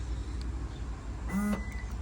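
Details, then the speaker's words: 2014 Toyota Camry with the trunk button held: a short motor buzz and faint whir but no latch release, and the trunk opens fine by the manual latch pull; the trunk latch actuator motor is failing. "now I'm going to hold the uh trunk button and you're going to hear the motor uh it's acting up you can hear it"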